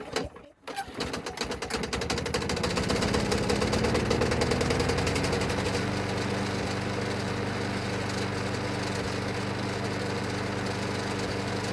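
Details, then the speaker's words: Junk Craftsman mower, new gas, oil and air filter: starts and runs steady with rough metallic clatter; changed blade adapter missing its retainer hardware through the bolt, leaving blade loose. "But you guys probably heard all the noise and racket it was making, and that's because I didn't have that retainer piece of hardware there going through the bolt with this changed blade adapter."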